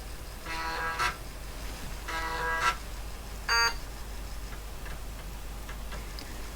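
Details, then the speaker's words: IBM AT vintage PC booting from floppy drive A after memory self test: three short buzzing bursts of head stepping over steady fan hum as the disk is read; normal floppy disk read. "can hear the disc being read. So it's doing something."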